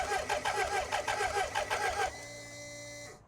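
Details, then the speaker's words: BMW K100RS that has sat since 2007, with a new fuel pump and a makeshift fuel line: steady cranking that never catches, then a fuel pump hum. The tank has holes and leaks fuel, and fuel is suspected not to be reaching the engine. "nope. I don't think it's going to start."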